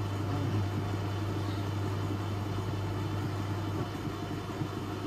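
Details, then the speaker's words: Electrolux Professional W555H commercial washer on custom Intensive 60 cycle, spin: heavy, steady low drone with the drum struggling to gain speed; sudslock, suds dragging the drum down. "It is sudslock, you know, you can hear it."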